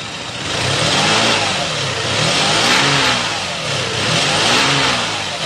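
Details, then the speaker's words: Suzuki APV injection with the airflow sensor unplugged, still running, check-engine light on: revs surge and sag unevenly about every 1.5 seconds, nearly stalling. These are the signs of a faulty airflow sensor. "jadi ciri-ciri apabila air flow rusak itu saat mesin hidup dicabut mesin tidak mati lalu yang kedua lampu Engine cek hidup dan yang ketiga boros BBM brebet kurang tenaga"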